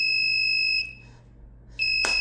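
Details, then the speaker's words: Cold storage room two-channel temperature safety device (DC 12V type, alarm delay set to 1 minute) sounds a piercing high electronic buzzer that cuts out briefly and returns; the buzzer switch silences only the sound while the warning light stays on; over-temperature alarm. "이걸 끄세요. 그러면 부저 소리만 꺼집니다. 하지만 불은 들어와 있죠."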